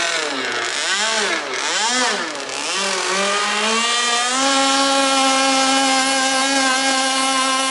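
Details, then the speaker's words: Jet boat two-stroke running without a silencer on a swapped impeller: loud buzzy blips, then a steady high note that never reaches a crisp scream and sounds rich and flat. Owner suspects the carburetor needs tweaking; not confirmed. "It doesn't go as fast. I could It's the the carburetor needs a little bit of a tweak. I can hear that."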